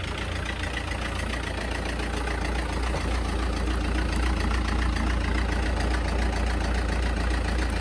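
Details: SsangYong diesel at idle: even, hard clatter ticking along with the low idle, well above normal rattle; bad injectors suspected, not yet proven.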